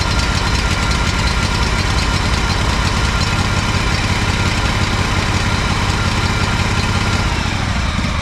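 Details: Honda 4118 riding mower, GXV 610 twin, new starter and two new coils after mice damage: loud, uneven low chugging with an irregular stumble about three times a second; sputtering, rough running, cause unknown, muffler next suspect.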